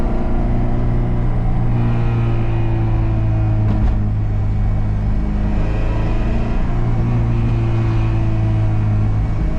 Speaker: this car is raspy as hell and i hate it